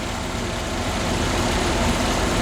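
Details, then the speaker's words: 1981 Holden VH Commodore back from about 8 months in storage, after new vacuum hoses, oil and coolant and a charged battery: smooth, even low idle rumble, no misses, knocks or ticks; normal warm idle. "Kick her in the guts. Would you listen to that? It runs."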